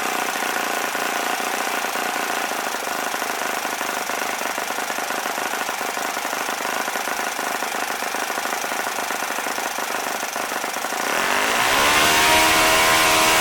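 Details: OS FS-40 Surpass four-stroke glow engine rebuilt with new bearings, Enya No. 3 plug, 11x6 prop: high buzzy note holds steady then climbs smoothly to full revs near 9,500 rpm; clean, even, no misses. Normal running.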